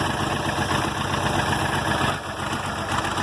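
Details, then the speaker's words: 706 tractor with D436 diesel, cold first start in months, oil pressure present: uneven chugging idle with irregular skips breaking the knock rhythm; misfiring, expected to clear as it warms. "She'll come out of it here in a minute. Misfiring, hear that? They'll start purring here shortly."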